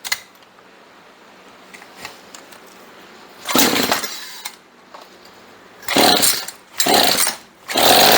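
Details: Chainsaw sat 4–5 years, fuel lines renewed, choke off: quiet idle set a bit too low, snapping to a crisp high buzz on throttle blips and dropping back cleanly; runs healthy before carburetor tuning.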